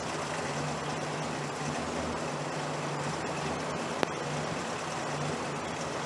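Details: 1968 Chrysler 300 with a 440 V8 and a replacement used carburetor, running after a disconnected spark plug wire was put back on. A deep, even rumble holds steady with no stumble or missing beat. It runs better now on all 8 cylinders: normal idle.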